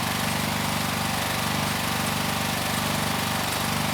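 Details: Hot-water pressure washer with Honda GX390 engine, run with the tip fitted and the burner off while building pressure: loud, steady engine drone with an even pump pulse, holding speed smoothly; normal running under load.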